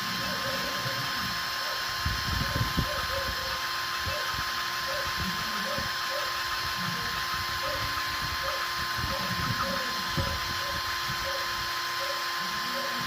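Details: GY6 engine, hard start: a long, steady starter whirr with rhythmic compression pulses about twice a second, cranking on and on without ever catching.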